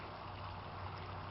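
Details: Aquaponics grow bed bell siphon with a 1 in drain stepping to 3/4 in pipe and inflow slowed by valves: soft, steady gurgle of water draining evenly with no choking or sputter; the siphon is cycling normally.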